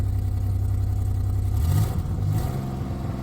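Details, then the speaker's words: 2008 Dodge Grand Caravan SE V6 at 448,554 miles, cold idle with a low uneven pulse cutting in and out: intermittent misfire despite new plugs and wires; owner suspects tired engine, coil pack wiring or bad coil packs. "The misfire isn't even there all the time. No, it's there. You can hear it. Hear it? It's kind of cutting in and out"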